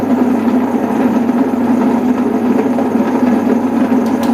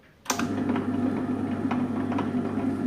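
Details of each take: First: Table-top wet grinder making a lot of noise before repair: loud, constant humming drone with a rough, gritty edge throughout; worn motor ball bearing (6004) that is being replaced. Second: Table-top wet grinder after 6004 ball bearing replacement and all screws fully tightened: motor starts and settles into an even, steady hum with light ticking, no grinding; no noise, normal running.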